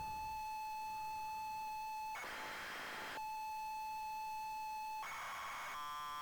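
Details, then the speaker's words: ZX Spectrum cassette, side expected to hold Football Manager 2: a steady high leader tone breaks into hissy data bursts with odd stray tones between them, a corrupted loading signal, possibly damaged or partly overwritten tape. "that's weird what's going on there some weird noises going on"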